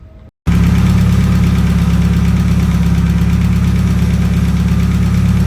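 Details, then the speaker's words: Mazda Miata after a timing belt and water pump install, coolant bled: steady, even low rumble with no knocks, misses or squeals. Running good, no overheating on the test drive; normal idle. "But other than that, the car is running good and we're gonna go take it out for a test drive."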